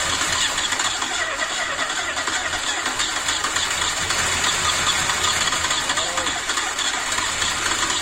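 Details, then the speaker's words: Ford Escort MK2 barn find unused for 27 years, fresh fuel supply fitted, cranking: light, uneven turnover with little push per stroke; low compression, blow-by from dipstick hole, suspected stuck rings or past overheating. "one thing I can tell you straight away is definitely hasn't got much compression I can hear that when it's turning over there's not a whole lot there"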